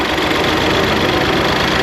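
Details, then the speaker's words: '88 Ford Festiva with 1.6 L EcoBoost from a Fiesta ST, stock turbo, warming up, fuel pressure about 80 psi: steady idle with faint uneven shake, no knock, poor throttle response and slight rev hang; owner guesses running rich. "There's a bit of a shake. If I had to guess, I would say we're running rich."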